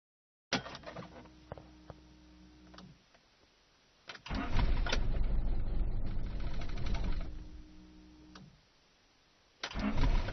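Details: 1995 Rover 623SLi with Honda H23A3 engine: the starter spins the engine steadily in repeated long bursts but it never catches; the cause was a failed fuel pump (igniter and main relay also replaced).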